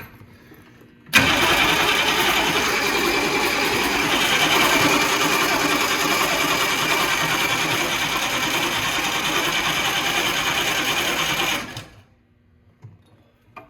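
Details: Humvee diesel after replacing failed mechanical fuel pump that leaked diesel from vent lines into hubs: about ten seconds of steady even cranking, roughly three turns per second, without catching, purging air until fuel arrives at the bleeder.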